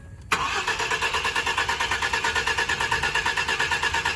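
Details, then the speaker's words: 2013 Ford F-150 4x4, motor installed a week earlier, crank-no-start complaint: starter spins engine in steady pulses about three a second but it never catches; no spark, wire harness found melted together. "So it's behind the this is the wire harness, and I have no spark."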